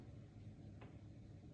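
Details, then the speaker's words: Samsung French door refrigerator after repair, with ice buildup removed from the internal fan area behind the back panel; low, steady hum with one faint click and no rattling or scraping. The fan runs normally and quietly, and the unit is still warm from the doors being open. "I have had the doors closed, had the fan running. It's warm right now cuz I had the doors open and was cleaning on it, but uh give it some time. That temperature will slowly start to come down. Your fan will kick on and you should be noise free going forward."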